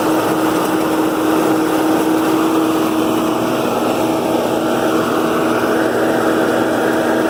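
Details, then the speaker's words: New Holland Roll-Belt 450 round baler pulled by John Deere 4440 tractor while wrapping a bale: loud steady mechanical roar with even hum, no knocks or surges; normal baler operation. "if you're a farmer then you know that the wrapping of the bail process takes a little while yes it's normal for a bailar to be making this much noise"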